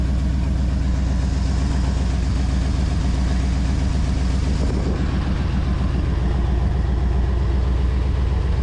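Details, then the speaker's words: 1969 Ford Galaxie XL convertible V8 idling after a belt was tightened; bad exhaust, and a lumpy uneven loping idle. Owner hears a vacuum leak, finds an unconnected vacuum line, and reconnecting it makes it run better. "definitely needs exhaust exhaust is horrible I hear a vacuum leag somewhere still runs a little rough"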